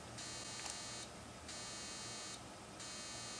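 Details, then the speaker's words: Power Mac G5 after a graphics card upgrade, still starting up: high-pitched beeps about a second long repeat at a steady pace with short gaps; an alert "that doesn't sound good", fault unknown. "Oh, that doesn't sound good. I guess it's in the other one. Ah, it's still starting up."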